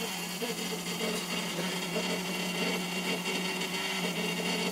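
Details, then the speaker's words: RV water heater outlet plumbing: steady, buzzy squeal through the pipes only when hot water runs (cold is fine), with vibration felt at the valve. Cause is a failed brass 1/2" check valve: its rubber o-ring split and the spring vibrated against the brass casing. "So you can see when I turn on the cold water, everything's fine, but when I go to hot, I don't know if you can hear, but I'm getting quite the squeal going on. And it's down here, coming out of the water heater."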